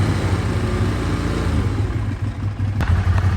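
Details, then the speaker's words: Ducati 848 at steady held throttle: revs won't hold, flicking slightly up and down, worsening the longer it's ridden; suspected failing throttle position sensor, later replaced by a shop. "and it's fluctuating the revs up and down. So yeah, so I'll show you that, and then holding the throttle at a certain RPM, and then it is just flicking up and down ever so slightly."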